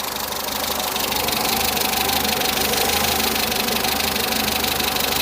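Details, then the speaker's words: Peugeot 207 saved from scrap, warm idle after oil leak repair (now leak-free): rapid, regular light ticking about three a second over the idle; tappets audible, owner thinks not too bad but plans to adjust them anyway. "I'm going to do the tap it anyway cuz you can just hear them you'll hear them more on the uh on the video I don't think they're endly bad but just sounds a little bit nicer if they're not tacky"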